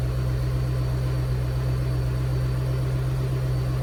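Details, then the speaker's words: V8 Mustang at idle after final tune revision: deep, steady exhaust burble with no misfires, popping or knocking; no fueling or detonation issue heard, with temperature rising and fuel trims good in logs. Normal idle. "okay exhaust sounds good i don't hear any fueling issue or detonation issue so that's plus one"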